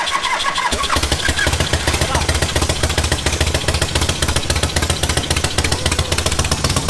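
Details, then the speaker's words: Charity-build V-twin motorcycle started before dyno: catches within a second, settles into a steady loping idle with even beat, no knocks; idles properly now, unlike last time; normal idle. "It's actually idling. Yeah. That's crazy. It didn't do that last time."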